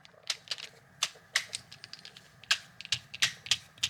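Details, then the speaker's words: Mid-1990s Shimano Curado Bantam CU 201 left-hand baitcaster, before restoration: handle turned by hand gives uneven little chirps and clicks with no steady tone; handle pretty squeaky and sounds crummy, owner may replace it. "Handle comes off. The handle's pretty squeaky, you can see."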